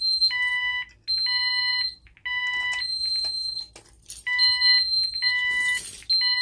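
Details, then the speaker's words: Ademco 6137R alarm keypad, fire zone 01 in alarm: high shrill tones in long even blasts with short breaks, no three-pulse temporal pattern, just a longer beep before showing bell failure. "One of the big noticeable differences about this keypad is that it doesn't do a temporal beep for fire zone. It just does a longer beep, and then it throws you the bell failure."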